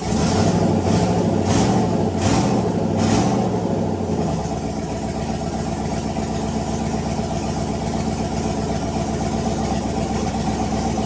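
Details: Turbo Chevrolet Silverado V8 on E85 after rebuild with new gapped rings (#7 ring land had failed) and ARP rod bolts: quick throttle blips, then even steady idle with no knock or tick; sounds healthy.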